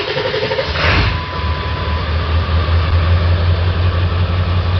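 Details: 1999 Ford 7.3 Powerstroke diesel, warmed up, after a hard cold start with loping, misfire and black and white smoke: steady low rumble with an uneven, lumpy beat near three per second. Cylinder contribution test points to a dead cylinder three injector.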